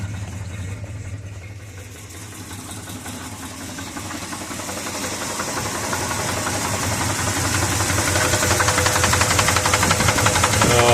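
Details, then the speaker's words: 1973 Ford truck with 390 V8: deep, regular knock near three a second over the idle, swelling as it runs; bottom-end knock suspected, exact cause unconfirmed. "really really hoping it was something else but oh man I can't think of any reason any reason whatsoever there'd be a noise like that under the valve cover"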